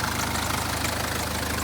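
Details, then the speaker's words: BMW M Sport Tourer with N47 2.0 diesel at idle, belt removed: harsh metallic bag-of-spanners rattle from the back of the engine; owner 99% sure the rear timing chain kit fitted about 25,000 miles ago has failed, engine coming out. "So basically it sounds like well, a bag of spanners, but it's diesel, so easy to do. It sounds like a part of the new timing chain kit, which was put on 25,000k ago, is dead."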